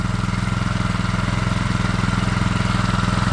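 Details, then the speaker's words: Late brother's 6.5hp Chinese four-stroke single-cylinder engine, meant for alternator backup power, running after fuel was bled through: steady, even putter about 2.5 firings a second, no misses or knocks, before cutting off; runs really well apart from a washer leak, normal idle. "all right so it runs really well aside from this problem um we'll turn the fuel tap off that's a gasket problem or a wash up we can fix that pretty easily"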